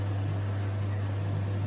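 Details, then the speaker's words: Winterhalter GS502 dishwasher, boiler water around 65–70 °C, tank empty at 20 °C: steady low mains hum, no clicks or bubbling; boiler heating elements heating normally. "So when it reaches roughly about 75, I guess it's going to start to transfer the water. You can hear still that elements are heating up."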